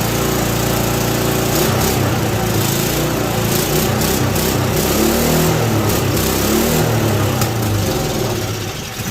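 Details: Ariens 524 snowblower during mechanical restoration, started after fresh fuel, an oil change and a shot of starting fluid: small single-cylinder engine holds a fairly even, fast putter without coughing or dying. Runs as it should.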